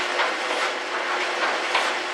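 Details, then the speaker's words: 14-year-old GE electric dryer, model PVXR353EB0WW, after disassembly and reassembly, run with jeans that had caused a loud noise: even whooshing tumble with soft rhythmic thumps and no banging or scraping; working normally. "okay now since it is expensive time for high girl I'm not gonna let it run for very long but suffice it to say it's all back together and it's working again"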